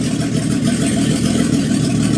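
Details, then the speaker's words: 1990 BMW E34 535i, M30B35 inline six, first start after rebuilding from failed chain guide and oil pump damage, with no exhaust or radiator fitted yet: smooth, even idle with no knocks, rattles or chain slap; it sounds healthy. "runs mint mint. Literally runs perfect. Another happy M30."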